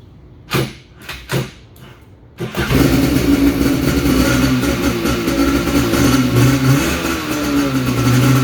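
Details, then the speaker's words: X2 jet ski two-stroke after relay replacement, start switch faulty (must be jumped), fed squirts of fuel: a few cranking bursts, then catches and runs with crisp steady buzz rising with throttle; sounds healthy. "but uh man that thing sounds healthy"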